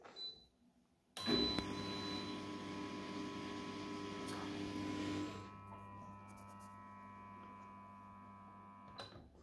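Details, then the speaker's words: Tumble dryer that won't turn its drum: motor gives only a steady electrical hum from the lower area, no usual loud drum rumble, water pump briefly running; suspected failed start capacitor. "Es tut sich nichts wie gewohnt, normalerweise ist es laut und brrr. Hier in diesem Fall brummt es einfach nur, das kommt aus dem Bereich hier unten."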